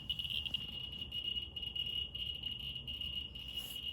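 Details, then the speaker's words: Geiger counter probe held very close to autunite uranium ore on the x100 scale: dense, rapid ticking over a thin steady high tone, reading almost 175,000 counts per minute from the strongly radioactive sample. "Okay, it's getting loud. Yeah, it's reading super high. It's like almost 175,000 counts per minute."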